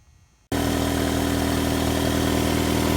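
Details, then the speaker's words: 2002 Mitsubishi Lancer ES, 2.0L SOHC 4G94, on first start after head gasket replacement. It catches after a half-second and settles into a steady idle with no misses or knocks. Normal idle. "Well, it's alive. Once you get it started, obviously just kind of go around and look for any leaks anywhere that you're putting it in together."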